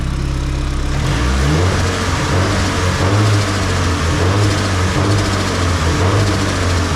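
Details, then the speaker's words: Nissan S15 SR20 with Garrett T28 turbo, after turbo gasket replacement following a track day: steady, quiet low-hum idle with no ticking or puffing, so the exhaust leak is gone. "No more exhaust leak. Sound normal again, chill, quiet."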